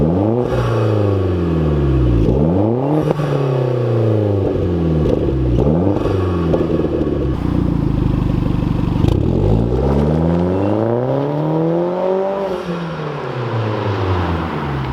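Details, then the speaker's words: Hyundai Genesis with new ARK Performance front pipe, rev sweeps: rise and fall smoothly with a deep throaty exhaust note, no knocks or rattles; slightly deeper and louder than before, healthy engine. "it sounds pretty good I don't I'm inside so it's kind of hard for me to say"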